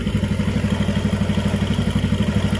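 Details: Jupiter MX single-cylinder idling after a total engine overhaul: new cylinder block set, timing chain, clutch, water pump parts, conrod and crank bearings, plus radiator repair and new coolant and oil. A steady, even idle, no knocks or rattles. Healthy; exhaust smoke is gone.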